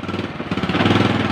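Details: Honda Supra X 125 after a new CDI fixed its lost-ignition no-start: a short burst, then a steady, even idle putter firing regularly with no misses; running fine.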